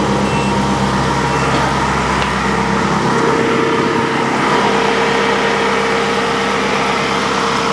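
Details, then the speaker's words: Ferrari-engined Alfa Romeo 105 ("Alfarrari") warming up after a new triple-pass radiator was fitted to cure overheating: steady even idle, fan whir shifting as it cuts in and out, temperature brought down; cooling working normally. "All right, that's the first time I've managed to get the fan to go on and actually brought it down, the temperature down low enough to turn the fan off and let it go again."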